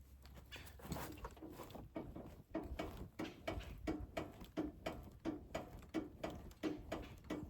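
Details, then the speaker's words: 3rd-gen Chevy Colorado with Level Up quick-release extended sway bar end links, vehicle rocked by hand: sharp metallic clunks about every two-thirds of a second as the bar knocks against end-link hardware. Passenger-side pin too loose. "That is the sway bar rocking back and forth against the hardware on the the end link."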